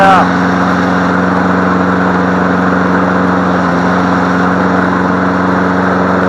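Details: Free MTD Select Series 21-inch self-propelled mower, cord snap-back suspected from sheared flywheel key, running on leftover fuel: smooth even drone at steady speed, no misses or knocks; running normally.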